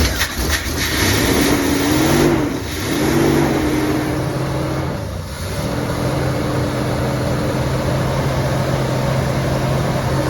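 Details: 1988 big-block 454 V8 in a 35-year-old RV, on a 27° morning during cam break-in. The engine catches and settles into a steady raised idle without stumbling, sounding healthy. Normal fast idle, though break-in was cut short by overheating and the owner suspects a bad radiator.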